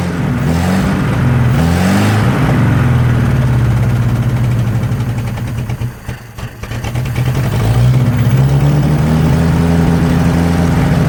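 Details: 1963 Nissan Junior ute, sat 15 years, leaking carburetor: runs on throttle but sags and nearly dies as revs drop toward idle, better with choke; lean from a vacuum leak.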